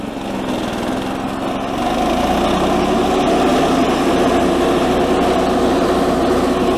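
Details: 1984 Workhorse GT100 with stock 212 Predator single-cylinder swap, mowing via factory PTO deck; picks up and holds a steady even drone as the deck loads it, no misfires or surging; normal running under load.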